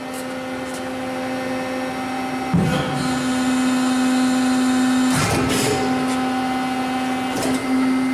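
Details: Lauffer RMT 100 hi-speed straight side hydraulic press cycling at 80 tons set tonnage: steady pump hum with firm tone near 250 Hz, brief surges as the ram cycles under load; healthy press running smoothly.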